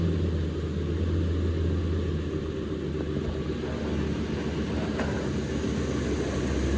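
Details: Ford F250/350 Triton V10 first start after new exhaust manifold gaskets, studs and Y-pipe fixing manifold leaks: steady, even low rumble with fan spooling and air rush over it, no ticking or puffing; exhaust sealed.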